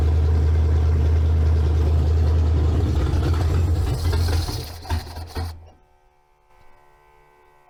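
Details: 302-swapped Ford Ranger with carburetor: low lumpy rumble that stumbles and dies after about five seconds; carburetor flooding.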